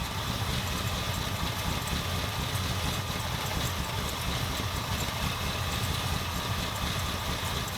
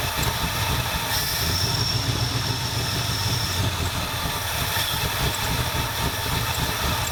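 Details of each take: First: 1977 Ford F250 351M V8, Duraspark II, carb idle mixture screws just over 2 1/4 turns out: steady, even burble at a slightly low idle with no stumbles or misses. Normal idle. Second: 1977 Ford F250 351M V8, Duraspark II, hot, after blocking off vacuum lines: low uneven loping idle that never settles; rough idle unresolved, owner later suspects dirty carburetor and fouled plugs.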